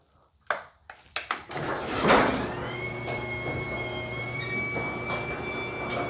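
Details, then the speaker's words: Garage door sound test before any work: a few sharp clacks, then the opener hums with a thin whine while loose rollers chatter in their hinge sockets as the door travels. Rollers rattling in sockets; sleeves and new bearings planned with Green Hinge system. "so a lot of this is due to the wheels rattling out uh of the socket this sleeve is suppos to help with that"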